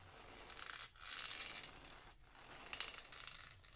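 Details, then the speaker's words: RC car pinion and spur gear, rolled on the ground: light, even whirring in short rolling bursts with the desired slight tick and no clicking or binding. The gear mesh is set correctly. "perfect mesh and why is mine so perfect because I had to learn the hard way"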